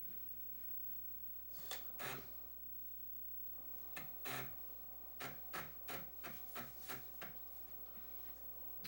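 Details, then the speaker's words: Amiga with boot drive selector switch set to internal drive, booting Workbench: quiet room, then bursts of short buzzy head-stepping chatter and clicks as the internal floppy drive seeks and loads; normal operation. "you can clearly hear it booting from the internal floppy."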